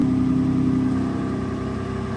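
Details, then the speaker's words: Mercedes with exhaust flap valves closed, engine not fully warm: smooth, subdued drone easing off slightly as revs drop; quiet exhaust with valves shut. "Okay, I've had the valves closed the whole time I've had this Mercy because I didn't think these were working."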